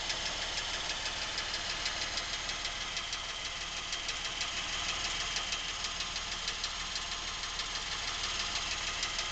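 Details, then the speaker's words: Lincoln MKX, 7,000 miles, knocking since new and worsening; idle with quick even light tapping about three per second, heard from back of motor, away from cam phasers and chains; dealer could not hear it, cause unknown. "Okay, here we are, day 3, after receiving our Lincoln back from the dealership, where they could not hear the noises. Now, the noises seem to be coming generally from this area of the motor, which is the back of the motor."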